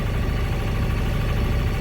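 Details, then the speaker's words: Endeavour 32 sailboat diesel at idle after launch and rewiring the start switch and push button: steady low rumble, even firing, no knocks or misses; runs smooth and shifts smoothly. "that's the sound of a diesel running got the switches figured out uh everything is running really well um she sounds nice and smooth shifts good and smooth"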